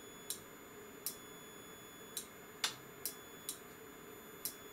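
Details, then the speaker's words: Aircraft radar altimeter indicator on the bench, with the input varied from 20 V down to its 12 V minimum while testing a limit: sharp single relay clicks at irregular intervals over a quiet hum; relay switching cleanly and normally. "So everything works perfectly. I can test one more time this limit here. Okay. So you can hear the relay."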